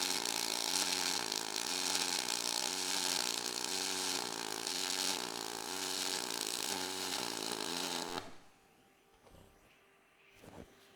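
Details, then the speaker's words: Everlast 253DPi MIG on aluminum, dual pulse at one pulse per second, .045 4943 wire, 0.3 s preflow, 4.5 s postflow: constant crackling arc with regular high-low pulsing through the bead; normal dual-pulse welding. "So, you can really hear that high low with that dual pulse. even just tack and you can hear that. So that's our our dual pole."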